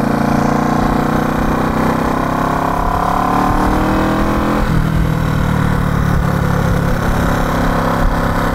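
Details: 1970 Honda CB350 twin, revived after sitting, ridden on the road: even twin drone climbs smoothly in pitch, dips briefly at a gear change, then pulls clean with no stumble or bog; running healthy.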